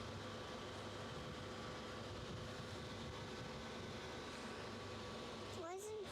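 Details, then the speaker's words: PC built for a child's birthday: steady, loud airy whoosh with a faint constant hum as the CPU fan runs at full speed; the builder suspects the processor is not compatible. "I think based on that noise, the fact that the fan's running full speed, that this processor is not compatible."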